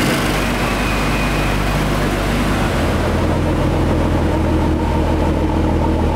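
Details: Ford Mustang with swapped 3.5L EcoBoost, direct plus port injection, idling on E85 on its first-startup tune: smooth, steady hum with slight waver, no misses or knocks, quieter and smoother than on 91 fuel; normal idle.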